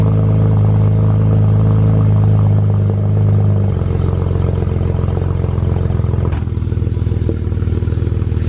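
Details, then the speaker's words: BMW 135i twin-turbo, cold start after sitting all morning, at idle: loose, fast rattle about four per second over the engine note; wastegate rattle. "like this car house wastegate rattle"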